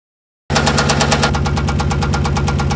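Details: 5.7L Hemi with cylinder 8 misfire at idle: sharp, regular metallic knocking over an uneven, stumbling idle; owner unsure if rod knock, spun bearing, or camshaft and lifters, plans to replace engine.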